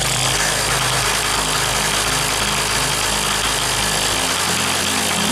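A small petrol generator engine runs at a steady, even pace, ending with a brief knock.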